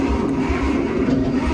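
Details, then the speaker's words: Bantam truck crane, 306 model, sitting in a quarry for years: starter turns the engine over in an even slow chug of about two to three beats a second, but it never catches; cranks but won't start. "Sounds okay cranking over. I mean, it cranks over. That's a start."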